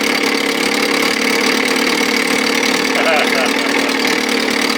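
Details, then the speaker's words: 1957 Montgomery Ward Sea King 5 hp two-stroke outboard, long unrun, idling with no thermostat: steady, even buzzing idle with a crisp high rasp, no misses or knocks; cylinder not hot yet. Normal, sweet idle. "I love the sound of these little guys. This one sounds super sweet, man."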